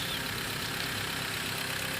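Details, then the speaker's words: Ford Ranger 2.2 L diesel at idle with the oil pressure warning light on. Loud constant hiss over a weak rumble, and heavy smoke pours from the dipstick hole: compression leaking past the pistons into the breather and crankcase (blow-by). Engine teardown proposed. "lihat dari lubang stik oli banyak asap yang keluar seperti ini menandakan kompresi dari mesin atau kompresi yang diatas piston sudah bocor ke selang pernafasan atau ke bagian bawah mesin"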